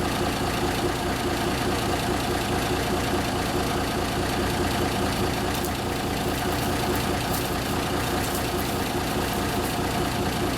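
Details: 1974 Kenworth W900A, Cummins NTA420 diesel, just started after three years sitting: deep, loose diesel clatter at idle, steady without stumbling or fading. Normal idle.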